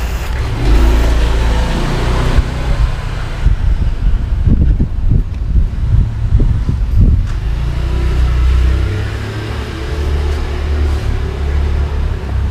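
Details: Yamaha R15 that would not start on the starter, tested after connecting leads plus to plus and minus to minus: deep engine rumble catches, picks up with a few throttle blips, then settles into a steady run; starts and runs normally.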